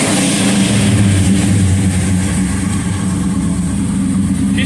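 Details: Old car started after its digital dash was linked, reading a little lean: steady, even low idle with a smooth consistent rumble and no knocks or misses; normal idle.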